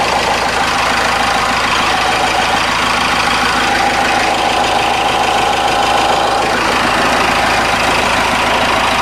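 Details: Cummins 4BT turbo diesel, about 71,000 miles, idling after fuel filter change and air filter wash: steady clatter with a faint whine over it, no misses or odd knocks; good oil pressure, normal idle.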